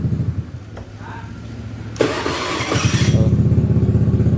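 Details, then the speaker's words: Honda BeAT FI scooter that was hard to start on the electric starter but started on the kick lever, after the drained battery was charged: starter cranks briefly, catches immediately without throttle and idles evenly; electric and kick starting now normal. "Nah sekarang di starter e normal lancar di di selah juga lancar ya"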